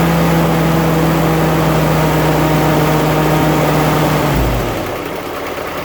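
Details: 1946 Willys CJ2A Agri-Jeep, original flathead four-cylinder Go-Devil engine on its original 6-volt system, started after sitting a few weeks: even mid-pitched idle with a steady pulse, no tapping or stumbling; normal smooth idle.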